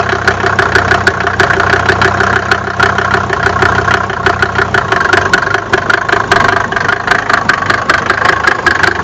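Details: Mercedes OM605 diesel at steady idle: sharp metallic knocks about five per second, clearly louder than normal injector clatter; engine knocking, cause unknown.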